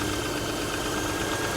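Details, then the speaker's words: 2005 Land Rover Freelander, Rover 2.5 V6, about 50,000 miles, coolant a bit low, mic placed at the engine: idle with smooth even hum, no ticking, knocking or stumbling; engine runs fine despite feared reliability. "that's not the worst sounding engine I've ever heard that sounds like an Eng guys that sounds that sounds like an engine"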